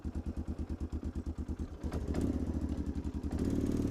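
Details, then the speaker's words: Kawasaki Lakota ATV with a new top end (new cylinder) and carb work, sitting since November 2024, starts easily: an even single-cylinder idle, then a clean rise in revs. Normal idle. "This is closer, it's a Kawasaki at least, but man, it does start good."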